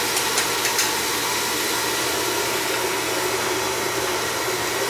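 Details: Oil-fired furnace that had been tripping out on safety from air in the pump, left running after fittings were checked and the line flushed; steady even roar of flame and fan, no sputtering or surging, burner healthy and stable.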